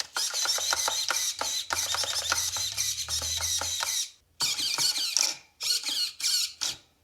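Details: Traxxas 1/16 Mini E-Revo VXL after replacing its crash-damaged steering servo with a Traxxas 2080R metal-gear servo: short, clean high-pitched whirring bursts as the steering sweeps side to side, no grinding.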